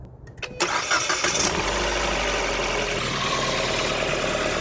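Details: 2016 Ford Fiesta 1.6L just after oil change with 4.5 quarts of 5W20: brief cranking, a clean catch, then a smooth even idle with no knocks or ticks, no leaks at filter or drain plug; normal start and idle.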